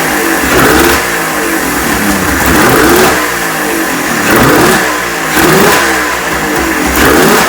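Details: Neglected 1996 Ski-Doo Formula 3 600 triple two-stroke snowmobile, after carb cleaning, choke adjustment and carb sync, on choke; raspy engine blipped about every 1.5 seconds, picking up cleanly each time. Runs healthy.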